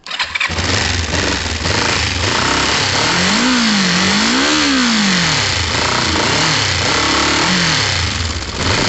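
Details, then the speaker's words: Warm motorcycle engine restarted after reconnecting the original ignition coils and plugs; catches quickly, settles to an even idle, then several smooth rev blips rising and falling cleanly; sounds normal. "plug them back in see how that sounds uh but that sounded normal to me"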